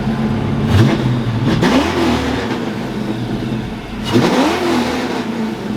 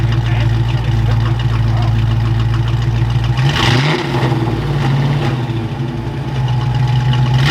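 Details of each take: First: Fox-body Mustang V8: two clean throttle blips, revs climb and fall smoothly with an even beat; all eight cylinders firing, fixed. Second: Fox-body Mustang V8, just revived after sitting, timing reset roughly: uneven loping idle, stumbles and won't rev cleanly; dead cylinder because an injector plug was left unplugged after voltage testing.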